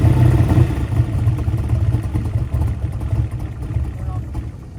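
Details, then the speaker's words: Small-block Chevy race engine, a year old and run hard: deep loud V8 idle with loose irregular ticking; major rocker-arm-type valvetrain noise though all rockers are tight, cause unknown, crankshaft end play suspected. "all right guys this thing's got major Rock arm noise have no idea what is what is firmed all Rockers are tight"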